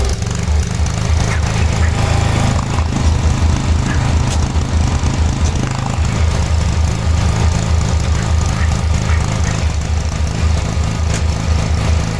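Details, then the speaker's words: 1986/1987 Cub Cadet 1106 riding tractor, sat over 4 years, during drive function test: small engine thumps with uneven hunting beat, rough running; owner suspects dirty spark plug, though plug later looked not too bad. "Got a funny feeling though that spark plug might be dirty. I wonder if that's why it's sounding like it is."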